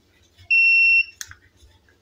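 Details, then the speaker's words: Tronic Alfa studio monoblock flash after repair of power-drop and calibration faults, test-fired with a trigger at low power: short steady high whine while charging, then a sharp pop as it fires; power stable, no longer dropping. "power juga udah stabil udah gak ngedrop nih saya coba tes pakai Trigger"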